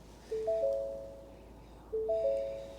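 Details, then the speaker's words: 2022 Ford Maverick Hybrid at auction, vehicle powered on: three-note rising chime repeating about every one and a half seconds, with a dash cross-traffic system fault message. "cross traffic system fault can you hear it see"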